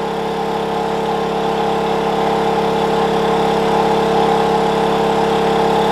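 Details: Wen 56203i 2000 W inverter generator (made 7/2020), about 1400 W load, high-60s dB; smooth, even mid-pitched drone with no hunting or surging, holding the load properly.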